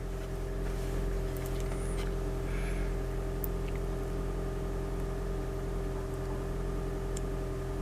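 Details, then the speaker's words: Toyota Prius hybrid in maintenance mode via a TopDon TopScan scanner, parked in the driveway, no trouble codes, engine held running: quiet steady even drone with no knocks or misses; normal, healthy idle. "And my dashboard display is saying maintenance mode, and the engine's running, and it'll continue to run, which is this is a really useful feature."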